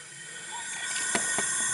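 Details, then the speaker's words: 2009 Chevy Cobalt, 92k miles, P0300 with cylinder 3 misfire, engine off: 20 psi air into cylinder 3, stethoscope hears it migrating toward cylinder 1; steady thin hiss of escaping air, suspected leaking exhaust valve. "all right so we got Air at 20 psi going to cylinder number three and what I'm hearing with my stethoscope is it's migrating to cylinder number one"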